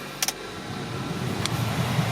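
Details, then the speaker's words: 1999 Toyota Corolla heater/AC blower after replacement with an aftermarket motor, engine idling. Switch clicks, then a soft, even fan hum on high speed with no squeal or ticking. Normal blower running, the earlier noise is gone. "Voila. Smooth. Nice. High speed. Yep. Perfect. No more sounds."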